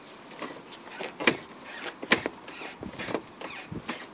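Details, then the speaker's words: BMW E90 3 Series: rubbery squeaks, about one a second, as the rear suspension moves, caused by a faulty rear control arm, sometimes misdiagnosed as bushes or straps near the petrol tank. "kind of squeaking like a clown shoes the problem lies here"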